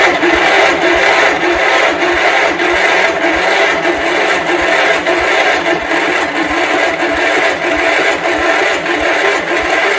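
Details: 1971 John Deere 140 H1 tractor, long parked, cranked without choke: even rhythmic cranking about 1.5 beats per second with no firing; turns over but never starts, and the battery is weakening.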